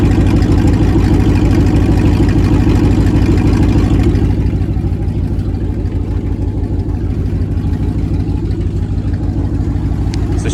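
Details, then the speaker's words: 1999 Dodge Dakota R/T 5.9 V8, just started after sitting; loud raw idle with sharp regular puffing tick about three per second from exhaust leak, downpipes cut behind headers at the catalytic converter, no muffler. "have an exhaust leak so it's not an exhaust it doesn't have a muffler on it or anything like that uh right behind the headers"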